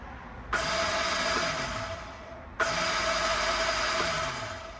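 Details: 2001/2002 Kawasaki ZXI1100 jet ski with new battery, before new Bendix gear: two short bursts of high, free whirring spin winding down with no engine catch; starter spinning without engaging the flywheel. Cause suspected, not confirmed.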